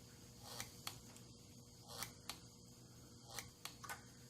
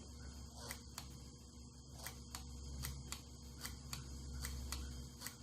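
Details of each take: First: 1982 Honda Urban Express with LED turn signals and a red electronic flasher, a load bulb (about 5 ohms) wired in line with the left signal: faint sharp ticks, often in close pairs; the flasher clicks only with the load bulb in circuit. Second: 1982 Honda Urban Express with an electronic flasher and a test light wired in line with the left turn signal: sharp steady clicks at about three to four per second; the flasher cycles normally and speeds up under more load.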